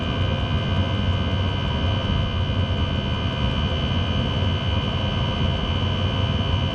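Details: Chinese diesel heater in a Talbot Express camper after quieting attempt; steady jet-like roar with deep rumble and faint constant whistle, only slightly quieter; owner suspects the motor bearing; still too loud.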